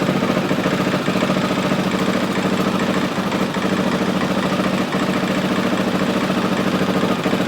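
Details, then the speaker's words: 2003 Honda XR400 single-cylinder, first run after valve clearance and cam timing checks, warming up: steady even thump at idle about three pulses a second, no knocks or rattles; runs healthy. "I tell you now, that runs pretty damn good."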